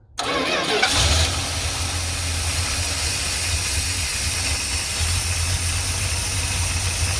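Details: 1978 Plymouth Trail Duster after a carburetor rebuild, new fuel pump, oil change and fluid top-off, started with choke and idle speed being set. Short crank, then it settles into a steady, even idle with no misfire or knock.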